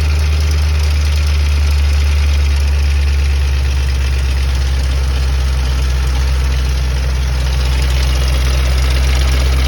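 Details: 2005 Ford Mustang GT V8 idling with a deep steady rumble and a light, fairly regular rattle, about four beats a second; the cause is unknown.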